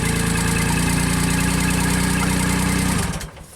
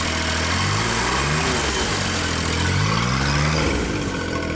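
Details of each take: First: JLG Baby Scissor lift small engine, cold, original crankshaft position sensor set 1 turn out from reluctor teeth: starts and holds an even, steady idle about three seconds, then shuts down cleanly; crank signal present, running normally. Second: JLG Baby Scissor lift small engine, cold day, new crankshaft position sensor fitted; with a function engaged engine speed swings up and down about every second instead of holding.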